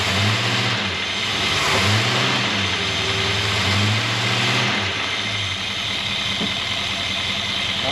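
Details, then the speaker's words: 1963 Jaguar Mk10 with a Mopar 440 V8, off the road since 1972, after fixing a low-end knock suspected from main or thrust bearing play, 80 psi oil pressure: smooth rev blips with no knock; bottom end healthy. "Sounds good to me. Sounds really good."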